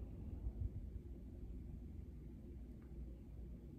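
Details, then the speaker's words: Corsair HX1000 power supply after replacing its grinding 135mm 12V fan with a 120mm 2-pin 12V 0.25A fan, jumpered on: only a faint low rumble as the fan spins up and down. No grinding, ticking or whine; a quiet, healthy fan. "now let's turn it on fan spins up dead silent which is great"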